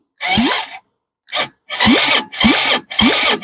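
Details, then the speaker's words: 2006 Zhejiang Kangdi 250cc kart engine after teardown and reassembly, first spin-over: short repeated cranking bursts about twice a second with a firm even pulse each turn; normal cranking compression. "we got compression oh yeah he got compression"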